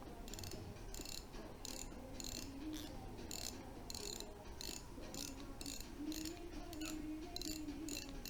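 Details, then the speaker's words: Shimano Stradic C3000 FM 2023 spinning reel, handle turning: a quiet, even ticking purr with no grinding. Rotation is smooth and light, though slight vibration is felt in the hand. "这个机器转动的很好，手柄转动起来很轻松，但是我右手拿着的时候，就感觉到这个震动，我可以说这里的工程并不完美。"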